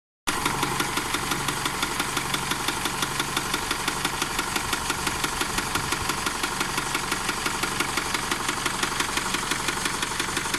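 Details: A 2008 Isuzu KB300 DTEQ 4JJ1 diesel at 229,000 km, overhauled at 174,000 km, idles with a sharp tapping knock about three a second. A loose intake swirl/EGR flap screw ended up in cylinder 1.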